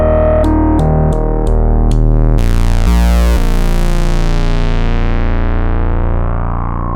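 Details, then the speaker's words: 1974 Minimoog after restoration, all sections combined: stepped notes, held low tone, long smooth filter sweep, no crackle, dropouts or pitch drift; filter and oscillators solid and healthy. "so you hear how great that filter sounds how good the oscillator sound everything's very solid in this unit now"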